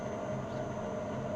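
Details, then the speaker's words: Old lathe with variable-speed drive set to 45 Hz, spindle about 205 rpm: steady low hum, constant mid-pitched tone, no knocks or grinding. Normal running. "45 Hz on est à 200 208 tours 207 tours donc on va mettre 200 205 tours rpm"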